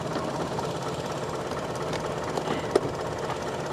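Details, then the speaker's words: GMC Envoy XUV idling, with the alternator charging at 14.2 V: a quiet, slow, slightly lumpy idle that the tach shows sitting just under 500 rpm. The idle speed is set too low and needs raising slightly. "it almost sounds like she's idled a little too low right it does it sounds like the idle's too low you need to Jack the idle up just a hair on it"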